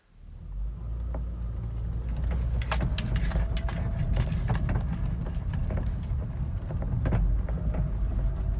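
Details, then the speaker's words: Saturn Vue with engine idling: scattered sharp knocks and clunks each time the steering wheel is turned, pointing to a steering column clunk. "hello guys welcome to fix-it Felix is your steering wheel doing this sound when you move it"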